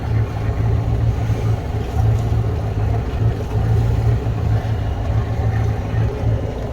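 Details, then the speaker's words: 1973 Holiday Mansion houseboat inboard engine running with a deep, even low rumble, steady beat, no misses or knocks under light load while backing out of the slip after revival; runs normally. "Listen, that motor runs good."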